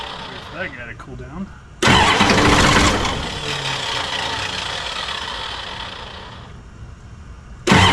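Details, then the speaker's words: 1986 Ford F350 diesel after replacing the leaking fuel return lines, glow plugs cycled: bursts to life loudly, runs roughly and fades over several seconds before another hard crank; owner suspects air in the fuel lines or a bad pump signal. "It's just got a shitload of air in the lines again. Who knows? Maybe the uh the signal to the pump itself is not quite happy."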